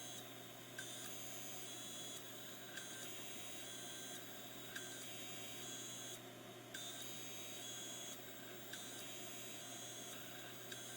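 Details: Hard drive with stuck heads: repeating high electronic beep roughly every two seconds over a faint whir as it fails to spin up; bearings also noisy.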